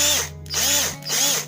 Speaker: uh beda beda sekali teman-teman dari suaranya aja ya getaran ataupun hentakan di tangan itu terasa beda sekali